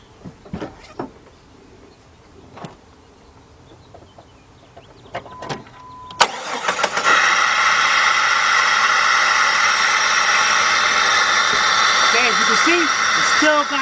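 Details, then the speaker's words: 2002 Jeep Grand Cherokee Laredo 4.0 with code P0302 cylinder 2 misfire, after new spark plugs, air cleaner off: engine catches near six seconds into a rough, stumbling idle over loud intake hiss; misfire remains, coil pack to be replaced next. "And you're going to see we still have our misfire."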